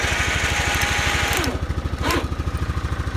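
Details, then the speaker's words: Kawasaki Bayou 400 ATV in neutral: steady single-cylinder putter at about three beats per second, even with no knock or miss, healthy idle; slight vibration attributed to the rear rack, not the engine. "a little bit of a vibration but that's not from the engine the vibration actually sounds like rear rck vibrating so that's not bad"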